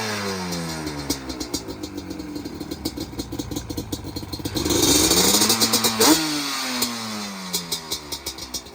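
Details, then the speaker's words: Customer two-stroke J-arm bike of uncertain year (guessed around 1989), after a carb rebuild with the idle and air screws set, engine warm but not hot. Crisp revs climb and drop cleanly, then settle to a steady, even idle: running way better. "We got this bike running good, running decent. She ain't no superstar or nothing, but it's running way better"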